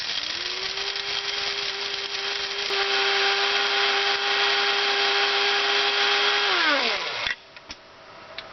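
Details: Coffee grinder plugged in and run on solar battery power: even, steady motor hum that holds its pitch, then winds down smoothly at switch-off. The grinder runs normally.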